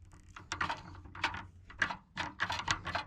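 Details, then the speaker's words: Parts car trunk lock being worked: irregular light metallic clicks with no latch release; lock seems a little busted, may need back seat removed to reach trunk. Cause not confirmed. "hear that sounds like it's a little B busted I may have to try and get the back seat out in order to get into this"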